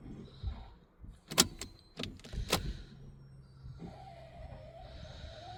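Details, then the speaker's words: Vauxhall Insignia with no start, no codes and no fuel pressure, brand new fuel pump just fitted: ignition clicked on and off, pump hums faintly with an uneven gurgle as air purges from the fuel lines. "I'm just going to click this on and off. It's starting to flicker. Oh, you can hear the air coming through."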